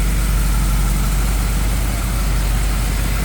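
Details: 1963 Impala SS, freshly built V8 with ported heads, Z20 springs and different-duration cam, just installed and dialed in: deep, even burble with steady low rumble, no knocks or misses; smooth, healthy idle.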